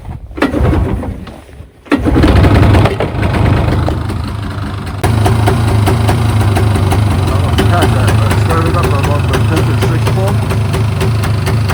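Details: 1992 Polaris 350L liquid-cooled 2x4 ATV, cold start at -10°F wind chill in Minnesota, dead battery so pull-started on choke: catches after a few pulls, then a fast, steady putter warming up; healthy.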